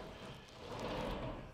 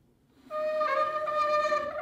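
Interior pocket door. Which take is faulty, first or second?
second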